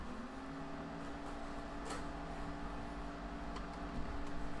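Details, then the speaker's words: Old desktop computer before fan upgrade: steady low droning hum with constant whine from the old case fans, like a low vacuum cleaner; fans too loud, being replaced with low-noise 120mm fans. "sounds like a low vacuum cleaner doesn't it"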